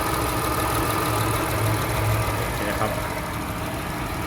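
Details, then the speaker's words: Honda Accord 3.0 after a test drive, repaired for shaking and engine light (cylinders 1 and 5) with new and cleaned injectors and coolant pipes: even mid-pitched idle hum, no knocks or misses; normal, no engine light. "ผมก็ไฟรองมาเรียบร้อยครับปกติครับวิ่งปกติแล้วก็ไม่มีไฟลมเครื่องยนตโชว์แล้วครับ"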